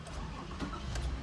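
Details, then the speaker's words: Toyota Sienna, DTCs P0351-P0356: brief crank, engine catches then dies at once; one shorted ignition coil pulled down the shared 5V reference circuit, so no coils fire. "starts and then it dives right away so let's figure out what's going on here"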